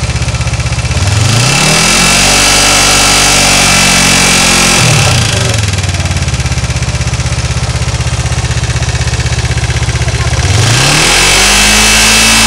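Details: Kawasaki GPZ 500S engine revs up, drops back to an even idle, then revs again, with a regular beat underneath; an abnormal engine noise, but no distinct fault sound stands out.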